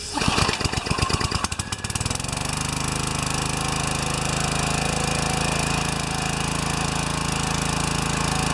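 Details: Pressure washer with 4 HP vertical-shaft engine after pump replacement, pump slightly too big so collar adjusted: a few rough catches on starting, then steady even hum without misses or surging; running normally.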